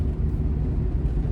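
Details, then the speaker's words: 2004 Mazdaspeed Miata at 40 mph, windows up, after rear differential replacement, cured of its earlier whine: only low, even road rumble, no whine from the rear; a separate mystery rattle remains. "we are going 40 and it is not whining I don't hear a whine"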